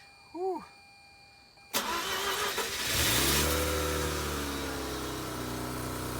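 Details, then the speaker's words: Mazda RX-8 rotary (code P0300, cylinder 1 misfire) started after ignition coil replacement; it cranks briefly, catches cleanly and settles at 2,000 rpm, slowly dropping. Very smooth idle with no stumbling or misfire; normal start. "my god it started guys rpms are at 2000 and they're slowly dropping i don't know if this is too soon to say but this sounds smooth like this sounds like very smooth idle"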